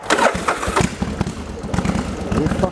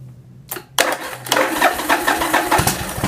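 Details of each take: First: Yamaha Virago XV1100 V-twin with an occasional long-term cough and splutter on one cylinder, stator tested fine; after replacing the regulator rectifier it runs cleanly with an even lumpy beat, no coughs or misses, and accelerates well with the headlight on. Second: Yamaha Virago XV1100 V-twin: it starts and after a while coughs and splutters on one cylinder with an uneven beat. Charging read 13.6 V at idle, dropping to about 12.5 V when accelerating, and it was fixed by replacing the regulator rectifier.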